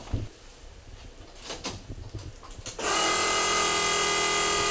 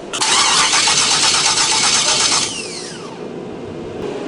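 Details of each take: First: 1976 Camaro, 600+ hp forged V8, first start after swapped MAP sensor wires twice filled the crankcase with fuel: cranks, fires and settles into a loud, lumpy, rowdy, even idle. The coolant temperature is rising and air pockets are suspected. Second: 600+ hp 1976 Camaro V8 on Holley Dominator EFI, first start attempt: steady cranking about two seconds, spins down without catching; flooding, owner suspected a stuck injector.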